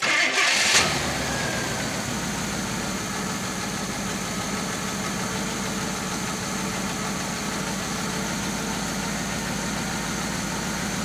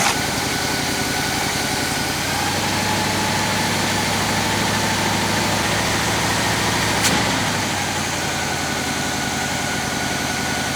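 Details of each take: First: 1966 Chevy Biscayne 396 big block after fixing a dead cylinder, new plugs, wires back on: catches right away and settles into a steady, even idle with no missing beat; all cylinders firing cleanly. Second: Abandoned 1966 Chevy Biscayne, numbers-matching 396 big-block V8, jump-started; idles with an uneven, loping beat and a repeating stumble from one dead cylinder.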